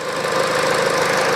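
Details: Peugeot 408 2012, 1.6 petrol, automatic, 87,000 km: after replacing the stretched drive belt (DAYCO 6PK900), a steady, smooth idle with no knocking, belt slap or tensioner chatter. The stretched belt had caused the knock.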